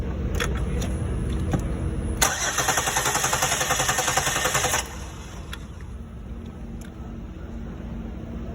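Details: 2006–2008 Chevrolet Impala, crank no start: starter churns steadily for about 2.5 seconds then stops without firing; no fuel pressure.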